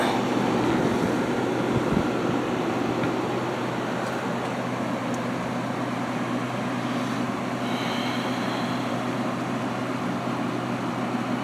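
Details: Haier ESA410J-RGB 10,000 BTU window AC, very clean coil seen from the back: even low hum with a steady airflow rush, no rattles or squeals; unit running healthy, needed minimal maintenance.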